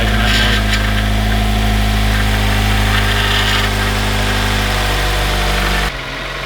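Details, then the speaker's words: 2007 Mazda Miata with swapped 2.5 engine, in neutral: steady, even idle with unbroken rhythm, perhaps slightly deeper than before, no misses or knocks; normal running. "all right sounds really good uh take a look underneath and look for leaks i'm happy well i'm glad sounds different does it a little deeper i think actually"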